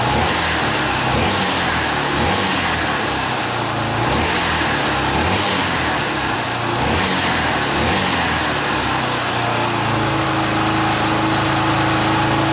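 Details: 1982 Honda XL500R single-cylinder running for the first time in years after valve adjustment, carburetor cleaning and reconnecting the pickup coil wire; steady, slightly uneven thumping idle with no knocks or misses, running fine.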